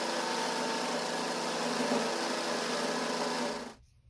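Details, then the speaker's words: Vintage Craftsman 109 mini lathe slowly turning the small diameter past the hex of a decorative 1" UNC nut: a harsh, steady buzzing rasp with a faint shudder through the whole cut; heavy tool chatter. "But we're almost there. It's got obviously a lot of chatter, but I'm going to give it a little bit of clean up and then uh we'll flip it around and finish up finish out the other side."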